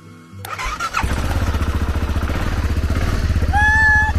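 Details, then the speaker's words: BMW G650GS single first start after replacing fire-damaged main wiring harness, in neutral: starter catches and engine settles into a steady, even thumping idle around three to four beats a second; normal healthy start. "Bike is running. We got a new harness in. Awesome stuff. Ah, you love that sweet sound."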